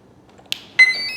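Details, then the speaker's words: Arrows Husky Ultimate 1.8 m RC plane on a 6S battery, throttle cut on: a short tick, then a clean, high-pitched rising beep sequence from the motor through the ESC as the battery connects. Normal arming tones. "we hear that the esc has stopped beeping the esc actually doesn't beep it's the motor that beeps but it comes through the esc"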